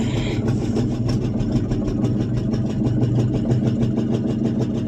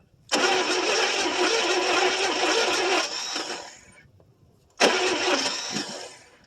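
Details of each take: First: 1974 International 200 two-wheel-drive pickup with a once-seized engine, restarted after possible flooding following about 25 years of storage; an even, quick exhaust beat that holds steady without stumbling, a smooth V8 idle. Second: 1974 International 200 two-wheel-drive pickup that sat about 25 years with a once-seized, now freed engine; two bursts of starter cranking (about 3 s, then 2 s) with no firing. Owner suspects it needs more fuel and is unsure the tank has gas.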